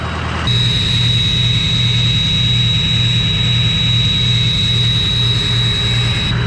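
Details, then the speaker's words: Ford 6.0 diesel, 2003, used as a comparison truck: even diesel clatter at steady idle with a constant high turbo whistle, no misses or knocks; running healthy. "man the 6-0 just sounds good they just do especially the other three oh four years"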